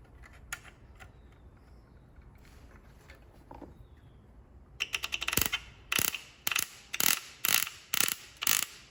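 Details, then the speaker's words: High energy ignition distributor (up to 60,000 volts) turned by hand with the cap off: sharp snapping spark bursts about twice a second as every tower fires. Healthy spark. "you can hear the clicking that's the spark trying to get out so we're going to give it a path"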